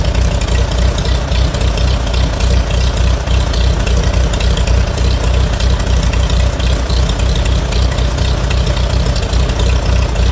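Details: Farmall A tractor's old four-cylinder engine, first start after a Zenith carburetor clean and rebuild: deep, loose low rumble at a fairly steady idle with some unevenness in the beat.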